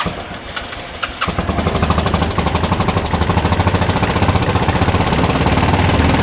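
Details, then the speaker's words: 2013 Bennche 500 single-cylinder, brought in for knocking and smoking, idling with faulty O2 sensor after a part was removed: even steady beat about three per second, no knock left, motor sounds normal. Normal idle. "And honestly, I don't hear, I don't hear anything wrong with the motor now since that's gone."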